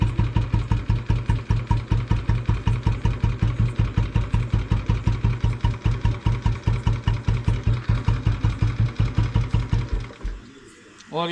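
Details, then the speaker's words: Bullet motorcycle idling after a long layup. Slow, heavy thumps at about two and a half a second with a clattery edge, then it stops. Owner says a rod sound appeared after a short 2 km ride: possible connecting rod knock. "अभी भी आपको जो bullet चलाता होगा और ये video देखेगा तो उसे पता चल जाएगा कि रोड की आवाज़ आ रही है इसमें।"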